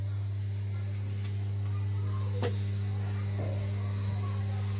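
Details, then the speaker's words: Lucky Tech home theater, Bluetooth paired and music playing but no sound output: loud, steady low hum unchanged throughout; shorting IC suspected. "मेरा यहां sound भी चल रहा है मगर इसमें साउंड नहीं आ रही और इसमें कोई हमिंग आ रही है तो चेक करते हैं कि इसमें क्या प्रॉब्लम है और क्या चीज है मुझे इसमें लगता है कोई शॉटिंग हो रही है कोई आईसी या कोई ना कोई चीज इसमें खराब है"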